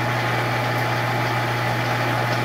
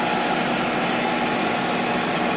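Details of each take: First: Monarch 10EE lathe after refurb, open belt, in threading gear: steady motor hum under faint uneven rattle, roughly four beats a second, from the gearbox area; worn gear or bearing suspected, not confirmed. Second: Monarch 10EE lathe after refurb with new drive tubes, first power-up, open belt, spindle at about 2000 rpm: smooth steady hum with faint high tone, no knocks, rumble or grinding; spindle quiet, normal running.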